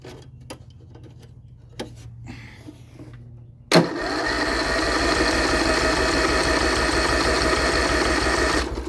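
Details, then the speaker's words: Lawn-Boy XT13-38 lawn tractor engine that sat a long time, out of fuel and being choked: a few clicks, then a steady fast crank of about three turns a second that never catches. Possibly low compression or a strong compression release. Cranks but won't start. "yeah we are out of fuel so I'll try and choke it and we'll try it again"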